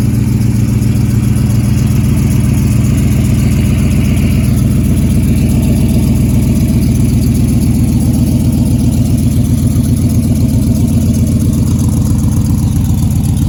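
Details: Model A hot rod sedan at idle with new hand-made stainless headers and exhaust, fuel poured into carb: loud steady low burble at fast even idle, regular firing, no misses or ticking; healthy, quieter than before.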